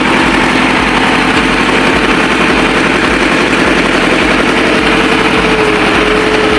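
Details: Ford 6610 tractor diesel at steady idle just after overhaul (4 new liners and pistons for smoky running) and hydraulic O-ring kit repair; loud even chug with regular firing pulses, no knocks or misses, running healthy.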